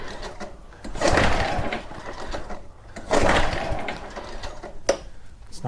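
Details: Very old Honda walk-behind mower at about 30 degrees outside, choke possibly off: two separate cranking bursts about two seconds apart, engine turns over but never catches; cranks but won't start.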